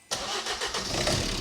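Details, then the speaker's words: Crash-damaged salvage diesel van with many dashboard faults (AdBlue, glow, airbag, fuel cut-off unavailable), first start after priming: engine catches at once and settles to a steady, even idle with no knocks or misses, runs and sounds nice. "yeah mate at least it runs yeah at least it runs and it sounds nice doesn't it"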